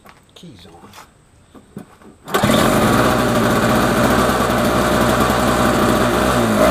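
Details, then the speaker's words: Snapper 17 LE two-stroke snow blower running normally after a new spark plug and fresh 50:1 premium fuel in the carburetor bowl: after a few seconds it fires and settles into a steady, even buzz with no misses. "all right boys and girls we got us a nice running snowblower"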